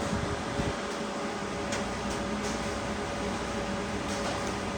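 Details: High-voltage heater (K2) fan on a Rawsuns RAD20000 diesel-electric system under component test: smooth, steady whoosh with faint constant hum, no rubbing or rattling, blowing hot air as temperature rises; heater fan working normally.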